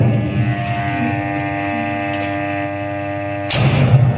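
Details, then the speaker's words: Motor on a star-delta starter (changeover by time relay) after replacing a failed contactor whose contacts burned out and tripped the breaker: steady low hum, then near 3.5 s a clean jump to fuller run; changeover now works normally. "它这个是转换好使的，对，转换的。"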